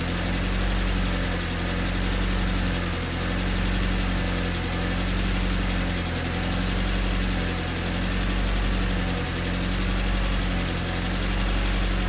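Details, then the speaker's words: Honda D16Y8 engine after valve lash was adjusted to spec, not yet fully warmed up: low idle slowly swells and sags. Hunting idle persists after the adjustment. "It's still idling a little weird. It has a hunting idle."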